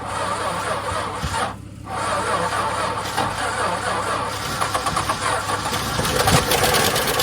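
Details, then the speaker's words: Long-unused VJ Dodge ute with no transmission fitted, just after first fire-up: rough running with a loose, uneven metallic rattle that quietens down; owner suspects the clutch, thrust bearing sitting on the pressure plate. Rattle on start. "Had a nasty rattle in it when it first fired up now. It's sort of quietening down a bit."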